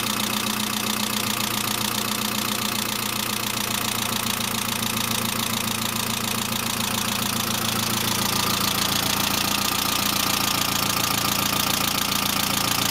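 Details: Saab 900 (C900) after engine and head rebuild, at idle: a steady quick ticking of about 3–4 per second, with no oil leak and no oil pressure lamp. The owner suspects the oil pressure relief valve, not the return line; valve lifter ticking.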